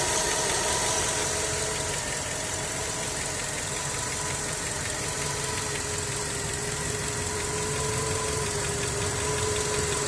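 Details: Skoda with 1.6 BSF engine at idle: a light, regular tapping that follows engine speed over a hissy background. Engine knock, cause unknown.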